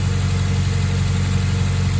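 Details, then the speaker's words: Mazda 3 cold idle after new NGK spark plugs and breather filter, relearning idle: steady low drone with even pulsing, no misses or knocks; normal cold idle. "just trying to relearn the idle again but a little early there looks good that's a good sign"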